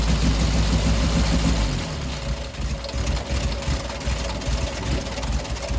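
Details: 1967 Triumph Spitfire MK3 abandoned project, first start-up: loud idle with uneven, lumpy firing pulses, hunting rather than settling; rough idle, better with revs, needs a tune-up, carbs to be stripped and cleaned.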